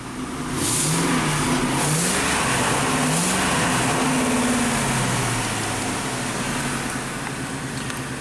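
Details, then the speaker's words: 2008 Ford F-250 5.4L V8, 219,000 miles, swapped engine, after cleaning and WD-40 on a coil: revs up and falls back smoothly with a steady even beat and no stumbling; sounds better, cylinder five mostly firing cleanly. "you know what that that sounds better unbelievable oh cylinder five is oh mostly happy"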